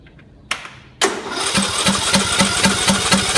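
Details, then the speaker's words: John Deere single-cylinder engine after head gasket replacement, head torqued to 250 in-lb, rocker cover off, not fired. Clicks, then the starter spins it in even compression pulses about four per second with no binding; checking for oil leaks, and none come out. "what we're going to do is spin it over just to make sure no oil is coming out make sure the gaskets all sealed up"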